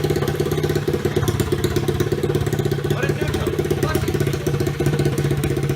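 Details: Pitbike, 2005 CRF50 frame with 125cc Lifan single, exhaust cut off: loud, fast popping idle from the open port, running steadily without dying; idling normally after repair.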